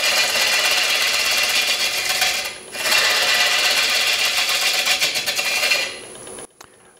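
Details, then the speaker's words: Rough-turning a wet Honey Locust natural-edge bowl on a lathe while levelling the bottom. A loud tearing cut with an uneven throb about three times a second underneath: the bowl blank is well out of balance. "as I continue to level off the bottom of this bowl I'm really trying to get to a point where I'm cutting and not scraping but you can hear from the sound that it's uh pretty out of balance"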